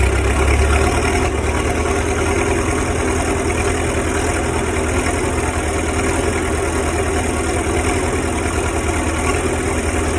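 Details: Cummins 3.3 QSB diesel, 4,500 hours, first start after bearing and piston work: even clatter at a settled idle, low and steady with no knock or misfire; normal idle.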